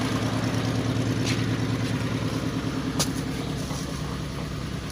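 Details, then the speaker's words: Toyota Sienna that had been cranking without starting, with the crankshaft position sensor wiring now checked connected: steady, even low engine hum with no knocks or stumbles. Starts and holds a smooth idle. "Okay, you can see that the engine is now running."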